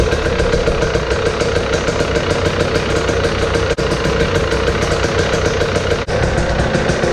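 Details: Husqvarna TE 300 TPI two-stroke, kickstarted with the cold start on after the fuel pump filter was replaced: fast, even popping holds steady at idle with only a couple of brief dips. It is running normally.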